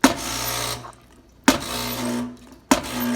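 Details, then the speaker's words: Rocket espresso machine on initial test before service: each steam lever pull gives a sharp pop then a hissing rush of steam; internal steam valves need fixing. "and you can hear when i pull this lever you're going to hear it pop"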